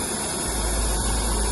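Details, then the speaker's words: Oxy-fuel cutting torch adjusted past neutral to excess oxygen: sharp, steady snake-like hiss with no pops or flutter, the sound of an oxidizing flame. "Oxidizing. Oxidizing. There's more oxygen. Okay. There's more oxygen. Therefore, the sound."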